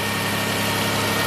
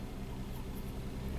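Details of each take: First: 2000 Toyota Sienna, 1MZ engine, 540,446 miles, burns a quart of oil per 500 miles, after repairing cylinder 5 misfire; short steady idle with even hum, no stumbles or skips, zero misfire counts: normal idle. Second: 2000 Toyota Sienna, 1MZ engine, 540,446 miles on original drivetrain, P0305 and flashing check engine light; idle runs smooth then cylinder 5 misfire counts climb with uneven stumble, injector or ignition suspected: intermittent misfire.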